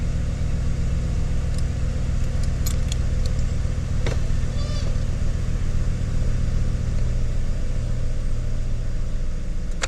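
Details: 2007 Chevy Silverado Classic 5.3L V8 started just after oil pressure sensor replacement, checking for leaks: deep, even burble holding steady with a few light clicks, then shut off; idle smooth and healthy.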